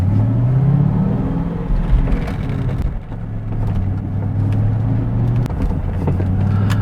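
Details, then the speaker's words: SN95 Ford Mustang after replacing front ball joints and tie rod ends, test drive turning the wheel: steady low engine and road rumble, no knocking from the front end, firm; some groans remain at the rear. "much nicer much nicer no knocking at all from the front anymore nice and firm everything's great"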